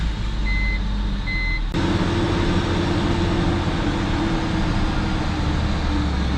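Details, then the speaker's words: 2004 BMW 325xi with replacement engine, started after coolant fill on a cold day; brief chime then steady even idle, no knocks or misses; runs pretty good, check engine and ABS lights from sensor issues. "now let's start it up and see what happens now that it's got coolant we can let it run a little bit"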